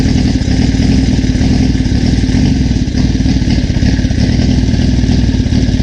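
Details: 1981 Suzuki GS650GL during rebuild, first start with fresh battery, plugs, oil and pod filters: deep, even multi-cylinder burble with a loose top-end clatter, running steadily on choke; normal running, small carb leak suspected.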